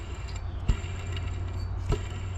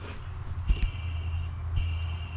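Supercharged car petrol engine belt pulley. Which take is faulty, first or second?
first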